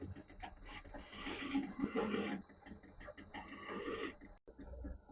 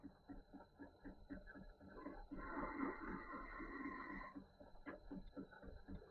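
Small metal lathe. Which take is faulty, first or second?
first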